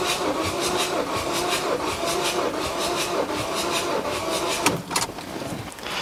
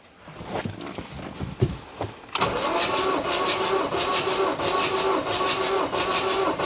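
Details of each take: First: Ford 2.2 TDCi diesel (Puma engine, blowing blue smoke) cranking during compression test on cylinder 3, after many cranks on other cylinders: slow, labored, uneven cranking under three turns a second; battery struggling, low reading to be retested after charging. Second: Ford 2.2 TDCi (Ranger, 125,000 mi, blowing blue smoke) cranked for compression test on cylinder 4, about 300 PSI: steady starter cranking about three beats per second, even rhythm, no firing; normal cranking.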